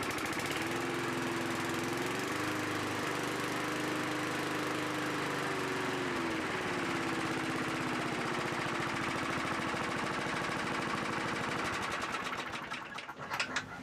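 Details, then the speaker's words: 1982 John Deere 21 SP mower single-cylinder after new points and condenser set to .020 in: starts well, settles from a slight surge to a steady even buzz at governed speed, running normally. "like it started up pretty well I think this project is finally wrapped up the mowers looking pretty good and running pretty good"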